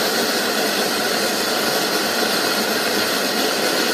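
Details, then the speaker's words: Circa-1925 Coleman No. 2 camp stove burning liquid gas, valve opened for the hot air blast preheat: an even, loud hissing roar with no sputter as the generator heats and vaporizes the fuel. Normal preheat, about 30 seconds before lighting burners. "Coleman calls that the hot air blast. What that's doing is heating up the generator. It's turning the liquid to a vapor. Puts off a pretty good flame, don't it?"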